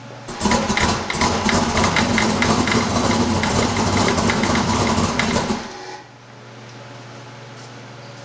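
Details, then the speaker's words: Race engine just restarted after a flat battery, loud idle with a light, fairly regular tick of about three a second: the belt tensioner fully hitting itself. Oil pressure is good and the crankcase breather is not smoking. "enough to running that little like knocking noise that you hear that's just the belt tensioner like fully fully hitting itself"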